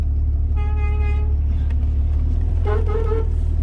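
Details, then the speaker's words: Jeep XJ horn sounded with engine running: two short honks thin and buzzy, second wavering and sagging in pitch; weak distorted horn. "my horn sounds terrible"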